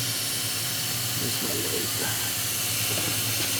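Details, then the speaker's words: 2001 Jeep Cherokee, P0455 large EVAP leak, leak detection pump left on to pressurize system: steady airy hiss over low hum, fuel smell. "what I'm going to do when I have a big leak like this I can actually leave this on slightly and it's going to hiss wherever my leak is"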